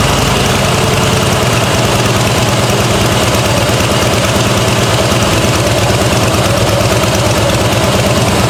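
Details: 2009 Harley-Davidson Fatboy Softail V-twin idling after an oil change, checked for leaks: loud, steady lumpy idle with an even low thump and no knocking or ticking; engine settles and runs sound.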